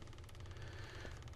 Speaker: you can hear clicking and this is a sign that we have a really low frequency here